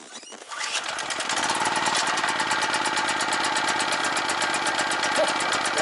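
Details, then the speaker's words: Scrapyard generator revived, carburetor side tipped down, on choke: catches after a brief pull, settles into a steady, even, fairly quiet run with no knocks or misses; some deposits blew out the muffler. "oh yeah oh it's nice and quiet you see the stuff that blew out there not that much"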